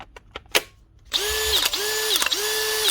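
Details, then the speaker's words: Makita DHP486 cordless drill with a worn mode selector stuck in clutch mode: motor whines in repeating surges broken by sharp clicks as the clutch ratchets; the drill also has a history of gearbox issues. "once there's any play or wear in this at all she does not come out of Clutch and she just stays in clutch mode or else goes on to hammer mode which is happening in this"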